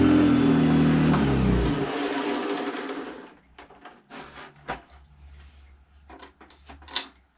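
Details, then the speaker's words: Hoover vacuum cleaner, hoovering: loud, harsh roar for a few seconds that fades away, then light clicks; the motor sounds rough. "well it works but doesn't sound great does it I don't know what to do with it to be honest"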